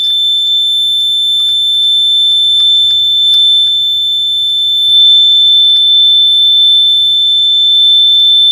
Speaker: Alright, so we'll have to figure out why it's making that noise in the first place. So I'm going to go ahead and play around with it for a minute, go install it back, and see if it won't stop beeping. Okay, so I might have actually figured this out. I installed one of the batteries backwards, so let's try it again.